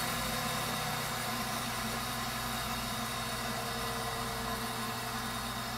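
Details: Viessmann Vitodens 200-W WB2B35 condensing boiler, built about 2011, in service about 5 years, no heat load on low loss header: even steady fan-and-burner hum, no pulsing or whistling; burner firing normally before intermittent non-heating fault.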